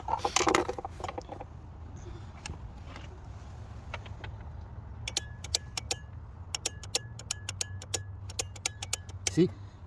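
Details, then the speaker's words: Variable valve timing solenoid from a 2002 Honda CR-V with a no-start, new unit bench-tested by applying power with wires either way round: sharp, crisp clicks in quick bursts as it moves, unlike the old unit, which did nothing. Normal solenoid click. "This one is moving. You can hear the sound too. So that's the real test."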